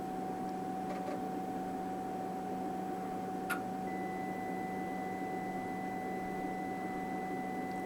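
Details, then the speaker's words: Tektronix TDS 540A oscilloscope at power-on, before repair: continuous mid-pitched beep held over fan hum during boot, not normal; leaking electrolytic capacitors and broken PCB traces cause multiple self-test failures. "symptoms H so this constant beep is not not normal there you go it booted up"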